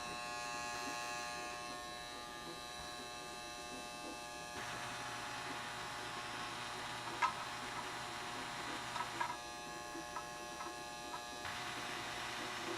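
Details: Reconditioned Lionel 027 postwar set with a refurbished 1957 Magnatraction switcher (motor cleaned, commutator surfaced, gears oiled) and an operating barrel loader. Quiet electric buzz switches on and off in stretches with light rattling; the vibrating loader runs steadily when powered, normal.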